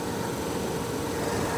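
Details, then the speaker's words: Bounder RV propane furnace, thermostat cranked to 100: steady, even rush of air as the blower fan comes on, no rubbing, ticking or wobble; normal blower running, with the igniter due to follow. "fan come on. After the fan comes on, the igniter will come on."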